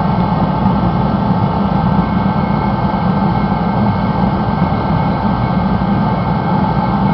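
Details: Rebuilt Mr. Heater Contractor Series torpedo heater at full output, non-contact thermometer reading up to 1500 degrees at the outlet: steady, even roar of fan and flame with no sputter, pulsing or dropouts; burner running properly.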